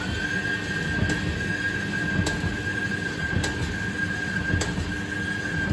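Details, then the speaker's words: Indesit IDCE8450 B H condenser tumble dryer, first run after belt replacement: steady high squeal under a rumbling run with a tick about once a second in time with the drum; drum rubbing, owner suspects a bumped drum track, unconfirmed. "it wasn't making that noise before I don't think of course it wasn't making that noise before cuz it wasn't turning so I couldn't tell right it does sound like the uh this fellow here this track is a bit bit bumped"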